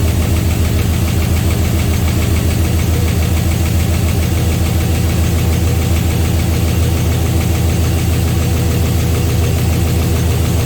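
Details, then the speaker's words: 6.0 LS V8 on first start after replacing spun rod bearings, damage blamed on a raised rev limiter. A fast, even tapping rides over the steady idle, suspected lifters short of oil that may still pump up. "One of these guys here is making noise. You can see they ain't getting much lubrication. Maybe it's gonna take a second for them to pump up, I don't know."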